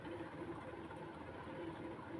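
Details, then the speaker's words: Martec Four Seasons 1200mm ceiling fan, bought about a month ago and run straight off a plug without its controller, turns with a steady low drone and a faint repeating rough rumble each turn; it has noisy bangs and a slight wobble. "and yes if you can hear if you can hear um it has noisy bangs so um yeah it has like a slsh wobble"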